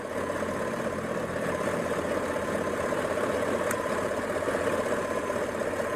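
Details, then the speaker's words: 2004 Chevy Tahoe, P0300 random misfire, stumbles at idle; plugs adjusted and good, plug wire found arcing, moving the wire moved the fault; steady idle with irregular skips and sharp snaps, each arc causing a miss; new wires planned. "And every time it arcs, it misses. Okay, so that's where the problem is."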